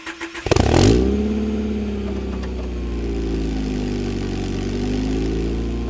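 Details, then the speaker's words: Wrecked Honda Prelude, dusty barn find, cold start after sitting a while: cranks a few beats, catches cleanly, settles to a steady, even, not-too-loud idle with no knocks or ticks; healthy cold start. "not bad not too loud all right now we're going to see if we can bring it up without stalling it"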